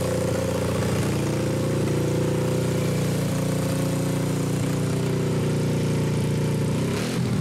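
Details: Suzuki GS500 twin in a mini buggy build, warming up before a warm compression test without the fan: steady low idle thrumming at about four pulses a second, slightly soft and uneven; low compression.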